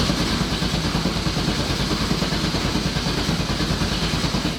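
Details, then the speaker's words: Nissan S14 with LS engine swap, newly installed Haltech ECU and harness; battery reads 11.7 V dropping to 11.6 V with fuel pump connected; strong, even cranking about one pulse per second, never fires; cranks without starting; low battery suspected, unconfirmed. "So maybe that's just too low to start a car, and the battery just needs some juice. Possible. But it doesn't feel like it, like it's cranking like it's got power."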